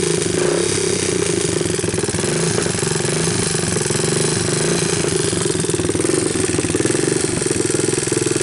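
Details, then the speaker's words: 1988 Honda TRX200SX abandoned for years, cold started with a new PZ27 carburetor and bypassed harness, camera close to hear the valves, idle turned up on choke: a steady single-cylinder putter with an even beat and no knocks or misses, a healthy motor. "let me pick up the idle a little more I wanted to bring the camera a little closer so that you guys can hear the valves and all"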